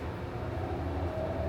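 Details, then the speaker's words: 1980s Dover Traditional traction elevator, passenger, 2500 lb capacity, 200 fpm, serving 9 floors: a loud, steady low drone with a rough rumble as the car travels down; the hoist motor sounds bad, cause undetermined. "Traction. Motor sounds bad."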